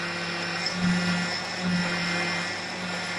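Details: Whirring, grinding drone over engine swelling as steering wheel is turned; suspected failing power steering pump, not confirmed.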